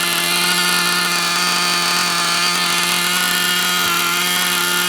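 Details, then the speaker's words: New TNS-modified Novarossi .28 nitro engine first fire, break-in: high steady scream with slightly blubbery uneven edge, deliberately run rich and fat. "There you go, Royce. Rich as hell, fat, nice and fat."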